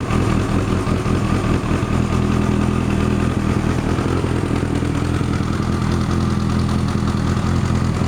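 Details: Kawasaki ZZ-R1100 D7 motorcycle idling with an uneven, loose clatter over the low rumble; abnormal engine noise, source unclear.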